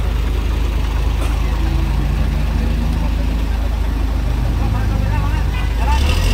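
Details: Isuzu Giga FVZ 285 PS trailer truck diesel that would not start after rolling over, running after battery replacement: settles into a steady, even low idle rumble with no knocks or misses; sounds healthy.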